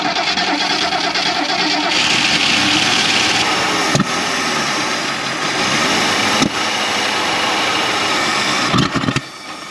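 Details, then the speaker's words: 1977 Mercury Grand Marquis parked 10+ years, fuel pump now pumping: engine catches and runs ragged, surging and stumbling; fuel apparently not getting into the carburetor, cause unconfirmed. "oh all right all right that's probably the best I had it running in a while it's picking up fuel but why is it not getting in there"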